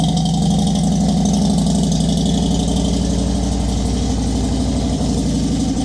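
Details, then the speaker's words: Motorcycle after a base plate fix, first start in neutral after refitting the gas tank: steady, even low thump at idle with no ticks or rattles; clean, healthy engine. "That's the sound I love. When your motor ain't making no extra noises."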